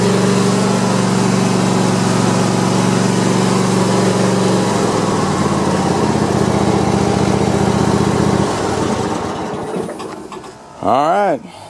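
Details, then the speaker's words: Cub Cadet i1050 zero-turn Kohler twin after burning off old gas and refilling with fresh: steady, even drone with a smooth hum, then throttled down and shut off; runs clean and strong. "so it's running pretty good just you know burned off all the old stuff and uh and i just put new gas in it"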